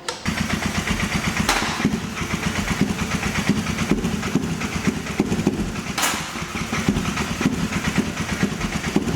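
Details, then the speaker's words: Custom 220cc single-cylinder engine-swapped, turbocharged mini jeep runs rough: uneven, stumbling chuffing pulses with occasional louder pops, never settling into a steady idle, while oil leaks from the setup; cause of the noise not confirmed. "Please run. The fuck is it making that noise for?"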